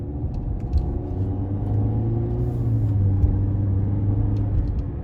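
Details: Audi A4 quattro at road speed: steady low rotational roaring, howling drone with no knock or tick over it; bad wheel bearing roar.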